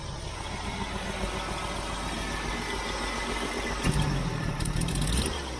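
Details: Jeep CJ-7 with accelerator pump turned fully the other way, choke off: low uneven idle that falters and surges on throttle opening; this setting made the stumble worse, so owner returns pump to full-on.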